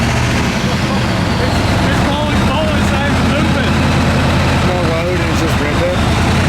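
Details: Ford F250 7.3 Powerstroke diesel, straight pipes, first test drive after high-pressure oil work: deep drone under way, uneven lumpy beat, one cylinder dropping out; bleeding air didn't help, can't boost; misfire traced to misplugged injector harness.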